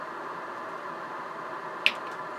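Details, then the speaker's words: Kenwood TS-830S transceiver with a deaf receiver, 1.8 MHz generator signal fed directly into the antenna jack: only a steady hiss and one small click, no test tone comes through; no received signal. "right now I'm running a signal at 1.8 megahertz into the antenna Jack of the radio directly into the antenna Jack as you can hear I'm getting noise but no signal"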